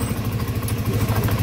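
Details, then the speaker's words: Yamaha NMAX that stalled suddenly with noise, after replacing collapsed camshaft bearing, camshaft and decompression mechanism: steady single-cylinder idle, even low pulses, no clatter or misses; normal after repair. "udah selesai diperbaiki Alhamdulillah udah nyala kembali normal"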